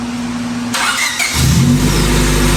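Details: Honda Civic EK D-series engine just rebuilt and reinstalled, cooling system not yet done: starter whirs briefly, engine catches cleanly and settles into a steady, even idle with no knocks or misses; healthy start.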